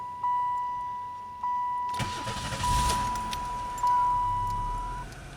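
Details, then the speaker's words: 1995 Pontiac Grand Prix SE, 86,000 miles, long sat: chime, then cranks, catches and settles into a fast idle around 1000 rpm just after cold start, a little high; service engine light appears intermittently while driving. "yeah so um you can see right now just starting it up it's hovering at a thousand rpm so that's that's a little high"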